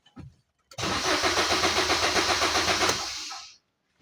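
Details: 2015 Maruti Swift crank no-start: starter spins the engine evenly at about four compressions a second for three seconds but it never fires; fuel gauge reads nothing, fuel pump wiring found cut, electrical supply fault.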